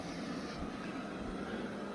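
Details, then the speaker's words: Eufy Robovac after fitting a second spare side brush motor: quiet, even whir with no catching or grinding, both side brush motors now running smoothly; the first replacement motor was suspected faulty. "but as you can see the two of them are now running"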